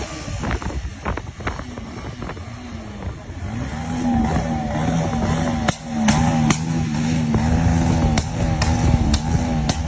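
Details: Bajaj Pulsar 150cc single-cylinder engine: uneven note broken by sharp irregular pops and stumbles roughly every quarter second; engine misfire.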